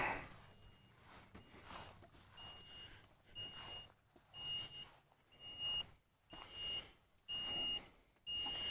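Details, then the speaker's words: Hulkman Alpha85 jump starter at about 72% charge after repeated 5-6 second cranks: steady high short beeps about once a second in a quiet room; overheat error lockout for 10 minutes from cranking too much. "We got an error for 72% now, which means we are in Hulkman jail for 10 minutes. We have overheated it. We have cranked it too much."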